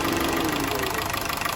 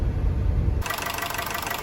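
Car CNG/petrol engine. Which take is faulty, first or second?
first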